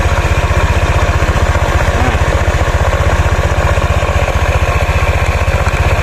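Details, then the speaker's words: Honda Vario Techno 125 (2017), second-hand, after one year of use, idling with an even thump about four a second. An intermittent crackling growl underneath comes from a worn CVT bearing that needs replacing. "Ada suara kemretak ya, grok-grok itu lakernya teman-teman yang sudah waktunya ganti."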